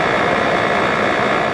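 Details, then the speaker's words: 1988 Fedders Cool Tote Slim 5000 BTU air conditioner on low fan: the compressor gives a low, smooth, even hum with no knocks or rattles, barely audible unless close up, running normally. "Wow, that compressor is super quiet. You can barely hear it."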